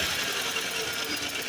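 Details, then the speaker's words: 2014 Chevy Silverado 4.3 V6 with P0300 and P219B-00, rough idle smoothing under power: quick light ticking with puffing under the intake manifold, first taken for a loose plug or rocker; compression leaking past an injector seal. "It sounded like, when I first heard it, it sounded like compression seeping past, like a spark plug. Maybe to the untrained ear, it may sound like a rocker or a rod or something more serious like that."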